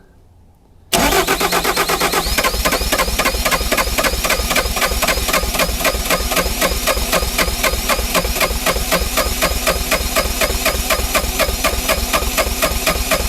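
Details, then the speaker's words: Neglected, frozen Bobcat T595 diesel cranked in extreme cold by remote start box with the hydraulic load removed: steady cranking at about four turns a second, faster than before but too slow to fire; the primer bulb shows fuel is reaching the engine. "Well, the engine's definitely turning over a lot faster, but still not quite where it needs to be."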